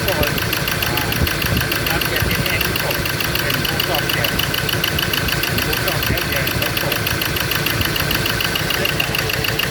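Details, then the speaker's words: Ford Ranger diesel idling rough and lumpy with uneven knock, firing only on cylinders three and four; one and two get no electrical pulse at the injectors, wiring fault suspected: misfire on dead cylinders. "i did get it to start but i it only fired on two cylinder in on um four three and four two one and two is not firing"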